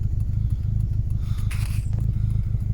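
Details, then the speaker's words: T4 engine at idle after revving, warning light flashing: idle stumbles with an uneven chug about three beats a second, dropping out now and then; misfire at idle, slightly better with revs. "so you ask right there it goes [Music] horrible misfire [Music] now flashing light"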